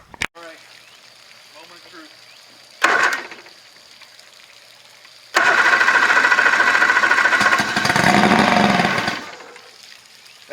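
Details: Outboard just mounted on a 1984 Grady White Overnighter 20, on a portable tank with primer bulb: short blip, then a few seconds of steady cranking that catches and runs briefly; normal first start, puff of smoke since it was oiled.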